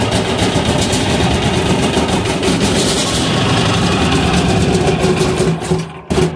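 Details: Amazon 186FA diesel running on filtered used synthetic motor oil, with leftover fuel and air in the line after adding diesel: loud, uneven chugging about two beats a second that stumbles, then sputters out. Cause suspected, not confirmed.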